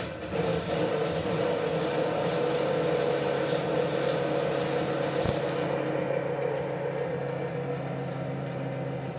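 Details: Ceiling fan in an apartment: a steady whirring hum with an uneven low rattle repeating a few times a second over the motor; noisy running, cause unknown.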